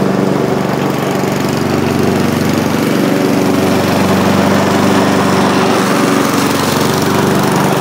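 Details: Mower engine after a dragging recoil starter was fixed by shortening the over-long starter string about three inches: smooth, even note holding constant speed with no misses, bogging or rattles; normal running.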